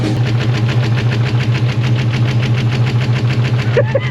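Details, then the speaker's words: SVT Cobra that had sat unused (previous owner stopped driving it over a cooling issue), first start after sitting, running on brake cleaner spray: uneven lumpy idle with pulsing stumble, barely running, smoking; rough running. "Well, I suppose I could try to give her a little gas. See if it does anything. >> It's not running too good."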